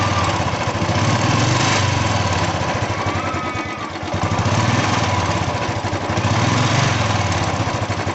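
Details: Royal Enfield Bullet 350 at idle: a steady single-cylinder thump with sharp, regular tappet tapping on top that follows the idle, from loose valve tappets clattering.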